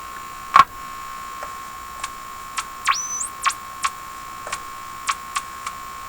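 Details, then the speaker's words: General Electric KL-70 AM/SW radio after cleaning the push-button assembly: sharp clicks every half second or so over hiss, with one rising whistle, always at the same spots equally spaced on the band dial; tone control still crummy; cause unknown. "I wish I knew what those are telling me I mean they're telling us something about this radio see I think something's they're equally spaced on the tuning"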